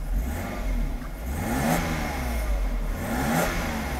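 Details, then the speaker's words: 1991 Mercedes W124 300CE 24V during air flow sensor adjustment, AC switched back on: revs rise and fall smoothly near 3000–4000 rpm and hold by themselves with no stumble; healthy. "It happens when the RPM is close to three thousand to four thousand. It doesn't need to be fueled. It will pull itself up. Very good."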